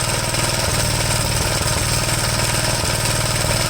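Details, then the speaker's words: 1973 Gravely C8 with a donor engine just installed, running: an uneven, stumbling single-cylinder beat with occasional backfire pops. The misfire was suspected to be the spark plug; a wrong plug had been fitted, and replacing it cleared the backfiring. "it has a misfire it's very possible it could be the spark plug and that's what i'm hoping it is you hear it start backfiring a little bit here and there"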